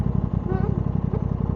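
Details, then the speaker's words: Aprilia RS660 riding: quick, steady engine thump with a faint wavering squeal rising now and then from the rear brake; owner calls it an Italian-bike quirk, cause not identified. "It's got it's got one of those Italian quirks where the the brakes make a funny noise."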